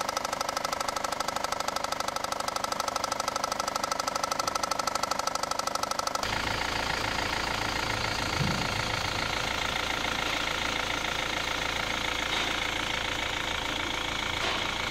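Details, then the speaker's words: Engine idle after replacing a faulty harmonic balancer, whose deep bottom-end knock had been misdiagnosed elsewhere as rod knock: steady, even idle with a light regular tick and no deep knocking. Healthy after repair. "There's a before and after audio sound, and you can clearly hear the difference from one clip to another."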